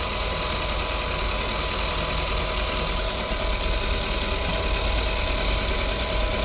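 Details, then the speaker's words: Audi, 171,000 km, warmed up, winter: rough uneven idle pulse with shaky low beat; scanner reports misfires on cylinders 4 and 2 after cylinder 3 spark checked good; cylinder misfire. "поэтому читаем ошибки что он тут нам напишет Давай давай обнаружены пропуски четвёртый второй воспламенение"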